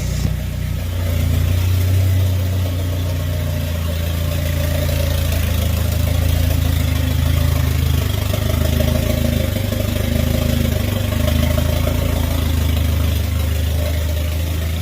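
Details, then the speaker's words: Mitsubishi Eclipse GSX 4G63 first start after starter plate replacement, vacuum line plugged: deep idle hunts and stumbles, running rough and very rich; owner plans to lower fuel pressure and suspects a boost leak. "She's running on her own, guys. A little rough idle, but really rich. That's really rich."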